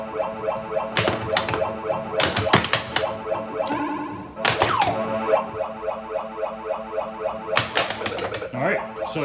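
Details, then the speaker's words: Bally pinball machine before teardown, background sound restored via dip switch setting, side kickout cleaned of rust; chimes, flipper clacks and bumper hits in lively bursts over steady electronic tune, every feature firing cleanly; working normally. "guys hear it? It works. Seems like everything's working on the playfield and everything."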